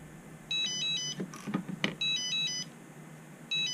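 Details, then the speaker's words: Turnigy Evolution RC transmitter with added haptic buzzer mod: bright beep bursts about every 1.5 seconds with handling clicks, the stock warning alarm for a switch left out of position; owner says the alarm is too quiet. "Okay, I got my switch all screwed up here in the back to where my radio doesn't like it."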